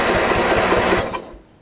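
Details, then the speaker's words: Craftsman riding mower after replacing the starter solenoid, which only clicked before even with a new battery: even chugging about five beats a second, then stops; engine cranks freely but this mower does not run; normal cranking. "now it's cranking and obviously if your riding mower is in good order it's gonna run"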